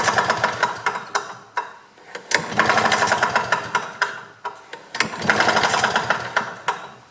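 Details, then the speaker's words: 1984 GRW Simson BM40-2 two-stroke lawn mower, flywheel cover, pull start and coil refitted, cleaner sprayed in: clattering pull-over with good compression that never fires; spark present but weak, points being cleaned, carburetor next. "okay so although it does have spark the spark is a little bit on the weak side so i'm just cleaning the points"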